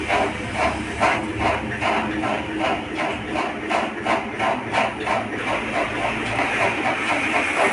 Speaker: इस तरीके से आवाज देखने को आपको मिलेगा और इसमें बीच बीच में कट का आवाज आता है झटका आता है